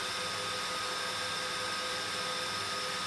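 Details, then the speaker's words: X-Case RM 100 SQ 1U 450mm rackmount chassis with four high-powered temperature-controlled fans, sensor on the cooler reading cool; steady soft whoosh with faint constant tones, no rise or wobble; fans idling normally at low speed. "the controller for the fans is connected to a temperature sensor which we connect to the cooler but now it could be connected anywhere and that idle as it is at the moment it's saying everything's nice and cool"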